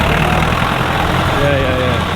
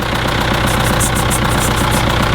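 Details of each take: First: Feeder tractor being looked at to buy, warm diesel idle: steady, even, smooth low drone with no misses or knocks, running a lot nicer now. Normal idle. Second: Idle of an old Case tractor with an injector missing its copper seal: lumpy diesel idle with a sharp puffing chuff on every firing stroke, the injector blowing past the missing washer.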